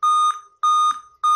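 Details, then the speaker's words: Dell i5 laptop with a continuous startup beep. After a 15-second reset with the CMOS battery, power and battery removed, it is tested on the charger: repeating high beeps, about 0.3 s on and 0.3 s off. The beeping persists. "As you can see, we are still having the beep sound. It shows we still have another things to do."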